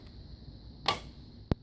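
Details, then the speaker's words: Chrysler/Dodge door opening and closing: two sharp, dry pops a little over half a second apart as the door swings, caused by a worn door check, fixed by replacing the door check. "you'll probably familiar with this sound if you listen to the doors when you're open closing you're gonna pop or a click sound"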